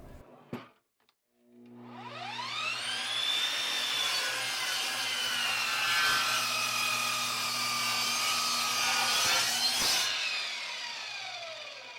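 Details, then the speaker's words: Dovaman DMS01C 10-inch sliding miter saw crosscutting 3x12 pine, pushed harder for a 6.2-second cut: motor whine sags as the blade bites, then holds a steady, even cutting tone with no rattle or grinding; normal cutting under load. "I pushed the saw a little bit harder and was able to cut it in 6.2 seconds this time."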